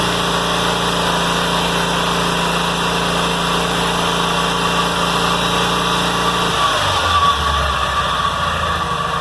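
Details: Kohler M18 twin on a 1990 Cub Cadet 1882, after new fuel filter, air filter, plugs, muffler repair and fresh fuel replacing stale watery gas: even, steady idle with a smooth low drone, no misses or stumbles until shutdown; normal idle.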